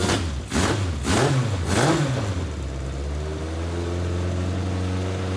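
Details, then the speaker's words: Legends race car after motor swap: ragged throttle blips then a lumpy, uneven idle that struggles to clear; carburetors pouring fuel and flooding because the small neoprene needle seats are worn out. "it's getting so much gas in there it's just it's just flooding so um there's seats in here see a little neoprene seats are just worn out"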